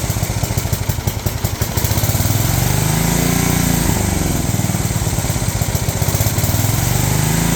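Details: Old riding mower/ATV of unknown year with many miles, barely runs, throttle set up, in neutral. Single-cylinder fast busy idle with wandering pitch, never settling low; owner suspects governor needs adjustment.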